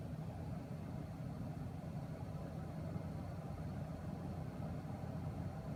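A steady low buzzing hum, even and unbroken with no rhythm or pitch change; the graphics card is buzzing, cause unclear.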